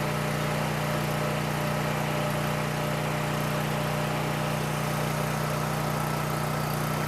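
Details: Coleman Powermate 6560 generator, after the fix for running only on choke (carburetor gaskets had been in the wrong order; oil was overfull and smelled of gas), under load: constant, even drone at a fixed pitch, no surging or hunting; normal running.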